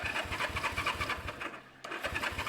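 Steady rhythmic starter cranking, about five to six turns a second, with one short pause; it never catches, no spark from dirty points.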